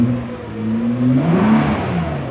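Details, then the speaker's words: Nissan GTR, not driven for three weeks, battery went flat and needed a jump start; after several attempts it starts and revs up and down smoothly with no misses, knocks or rattles, fully back to life; normal healthy revving. "as you can hear is it fully back to life"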